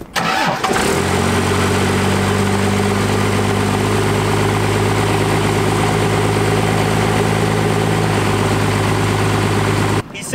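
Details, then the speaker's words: 1st gen Cummins diesel, injection pump power screw set too far in: catches and settles to fast steady idle; power screw being backed out further. "some good news that sounded more like um 1800 rpm not 3 000 plus so we're in the right direction"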